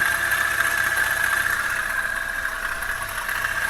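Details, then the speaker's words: Toyota Avanza petrol engine idling, rough again after about three months following a previous repair: gritty whirring hiss and steady whine from the front belt drive, failed belt tensioner bearing; oil level checked OK. "Oke ini suaranya kasar mudah-mudahan suara kasar ini ada di bagian luar ya panbelnya suaranya kasar"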